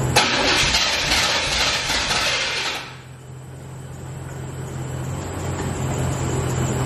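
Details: C4 Corvette that still won't start after its dead battery was jumped: about three seconds of cranking with a brief catch, then it drops to a steady background hum. Crank, no start; the engine won't stay running.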